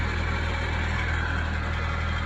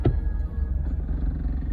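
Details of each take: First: Honda after an interstate accident, cold start on a hot day: steady puffing tick about four times a second over the idle from an exhaust leak caused by a broken exhaust mount; calms down once warm, repair planned. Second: Honda after an interstate accident, first test drive after installing a new exhaust with new bolts, springs and hardware: deep steady low rumble while driving, no puffing, ticking or rasping; exhaust sealed, no fumes in the cabin, only new-exhaust smell.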